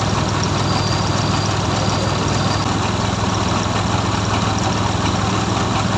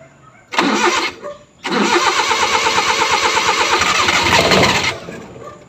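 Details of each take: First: Suzuki F6A three-cylinder engine, from a hard-starting repair; it holds a steady, even idle with a low hum and no misses, knocks or hunting. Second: F6A engine: short crank, pause, then over three seconds of steady rapid cranking that never catches; hard starting, long cranking.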